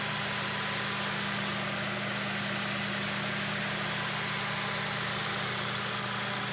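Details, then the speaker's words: Daihatsu Charade petrol after new high-tension wires, carburettor and fuel tank cleaning for hard starting: even steady idle hum with no misses or surging; starts easily now, running fine. "Ganda na tunog niya. Hindi na siya hard starting. Ayos na siya."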